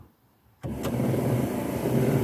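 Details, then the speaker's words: Triumph TR7 after a wiper parking repair: a short motor whirr as the wiper makes one sweep, then a clean stop. The wiper now parks correctly. "don't know whether you can hear that it parks there you go"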